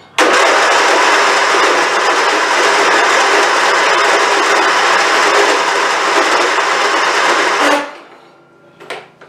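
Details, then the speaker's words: Craftsman YT4000 hydrostatic riding mower, hood off, hard start every time: starter churns about seven seconds with no catch, then quits; no fuel found in filter, fuel starvation. "And it does this every time, by the way. So there you go. It's not even trying to crank this out."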